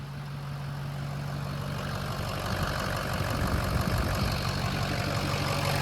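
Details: Diesel truck restarted after the fuel system was starved by a plug left unplugged, fuel pressure now restored: an even diesel rumble that steadies and firms up over a few seconds with no misses or knocks; the injectors seem okay and the idle is normal.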